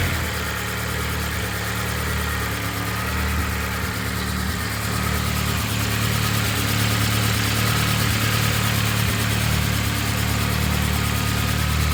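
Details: Honda K24-swapped BMW E36 after head gasket repair with freshly redone head, turbocharged, running rich then leaning out; smooth even idle, steady low rumble, clean rev pickups, no misses or knocks.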